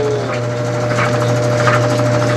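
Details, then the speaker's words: Brastemp BWG 11 kg washing machine, unbalanced-drum noise repaired, tie rods replaced and drum recentered: steady low hum with light even vibration and no knocking against the tub; normal spin. "Praticamente está normal aí, tá? Não está encostando aqui, ó, no lugar que estava batendo do lado."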